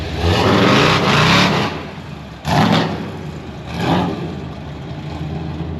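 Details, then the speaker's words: Supercharged (blower) V8 C10 after fixing vacuum leaks, timing and starter issues, first drive; loud deep throttle blips rising and falling cleanly with no knocks or misses, louder than before. "Good grief, that sucker's loud. First drive, man, you gotta fill it out, you know?"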